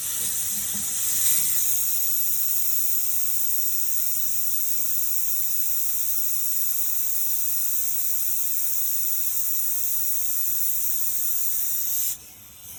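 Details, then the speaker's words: Porsche 924 Turbo fuel system, banjo bolt removed at the line's far end; steady loud hiss of air escaping below the car midway behind the front tires where the lines run, not from the fuel line end. Leak suspected. "that doesn't sound good um I don't hear it coming out of the other end of the fuel line I hear it coming out below the the bottom of the car"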